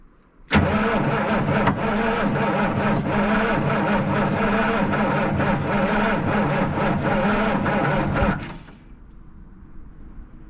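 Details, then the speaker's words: 1977 Peterbilt 359 diesel that sat about 20 years, cranked after glow plugs and starting fluid: heavy cranking with sharp uneven knocks as cylinders fire on starting fluid but won't catch; ether knock while cranking. "She knocked. She knocked."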